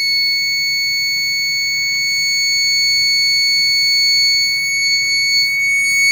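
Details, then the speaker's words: 2002 Dell Dimension 8250 with a BFG GeForce 6800GT, Pentium 4 2.53 GHz and RDRAM, on a test-bench ATX power supply: loud steady high-pitched shriek because the card's auxiliary power lead was not connected. "sounds terrible who is the paper was the card I didn't have your power plugged into it"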